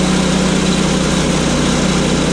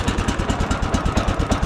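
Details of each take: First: Sawmill engine running steady with a low even thrum and a light fast rattle on top, about three a second; something on the door is rattling, cause unknown to the owner. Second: Sawmill engine started on choke and run briefly to check everything spins nicely: an even, steady low putter of about nine beats a second with no knocks or misses. Normal healthy idle, engine reportedly good so far.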